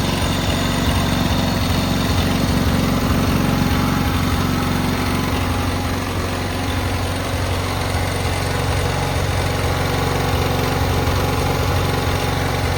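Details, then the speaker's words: Cub Cadet 682 tractor with Kohler KT17 twin, started first try after jumping the solenoid: an even, steady twin-cylinder thrum at constant speed with no knocks or stumbles; running well. "Started right up. That was actually the first start."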